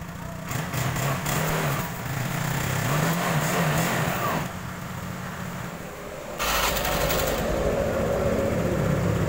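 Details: Honda Beat automatic scooter after replacing the drive belt and crankshaft seal, which cured a diesel-like clatter: idles and revs with an even, steady drone and no knock, running smoothly.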